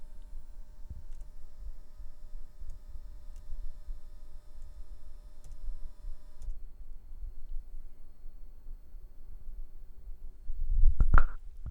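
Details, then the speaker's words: Corsair SF850L SFX-L power supply idling with an RTX 4070 in non-OC mode: faint, steady high-pitched buzz, coil whine. "now let's hear the sound of this corser power supply which still has buzz when it's idling"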